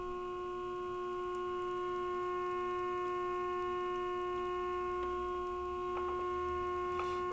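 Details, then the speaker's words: RCA 262 tube radio on bench during alignment, modulated tone injected into 6D6 RF amp grid: steady pure test tone from speaker growing louder as second IF transformer is peaked. IF transformer alignment test tone. "See, I'm turning the tone up a little bit. And you can hear it in the speaker. So what I did is adjust the IFs here."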